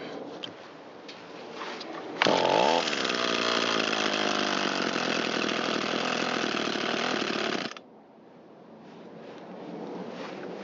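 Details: Echo SRM225 trimmer repaired after long sitting with fuel and low compression, warmed up, idle and mixture being adjusted: a crisp rise to a steady high scream at full throttle, then a smooth idle; runs healthy.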